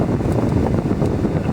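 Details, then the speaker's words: HVAC blower motor that stayed on all the time, after soldering repair, cycling speeds up to max: strong steady rush of air with a deep whooshing roar and no rattles or squeals; normal blower operation. "Always cycle the speeds. Right there is max. God damn, this thing blows."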